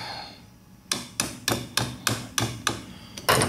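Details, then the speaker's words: Distributor cap removed from a carbureted engine, looks brand new but has a hidden crack: about seven sharp taps in three seconds giving a dull tinny 'ting' rattle instead of a solid thud; tap test reveals cracked cap. "can hear how it sounds. That's a good way to know the cap's broken."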